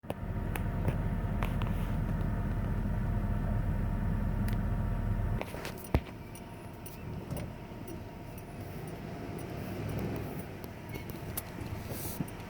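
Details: 1994 Ford F-150 4x4, TTB front, lockout hubs free, idling with low rumble then one dull clunk as brake releases, mostly in reverse going downhill; source unknown.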